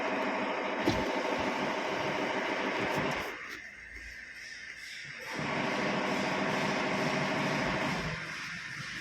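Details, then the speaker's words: Maruti Suzuki S-Cross 1.6 diesel at 129,300 km idling in neutral with a rough gear rattle that stops when the clutch is pressed; gearbox being removed, mechanic suspects a driving-related bolt. "इसमें दिक्कत है neutral position पर गाड़ी में gear आवाज़ करता है वह गलत दबाने के बाद आवाज़ बंद हो जाती है"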